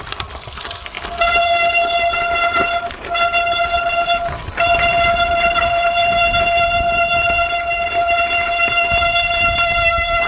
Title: Kreischende Scheibenbremse reparieren. Kettendreck. Funktioniert immer. Quietschend Pfeiffend Bremse